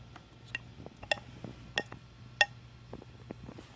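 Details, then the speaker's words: BMW E34 heater control valve bench-tested on a power supply, solenoids powered by unplugging and replugging by hand: sharp single clicks at irregular spacing; both left and right solenoids operating normally. "So I get both left and right channels, or left and right solenoids are operating normally."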